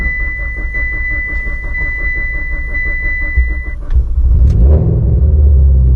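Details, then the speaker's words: Evo with a heavily worn ("hammered") motor, after valve cover work and a blow-by check that was better than last time: catches with uneven, lumpy pulsing under a thin whistle, then the note shifts; rough, suspicious startup, cause unconfirmed. "This startup is sus."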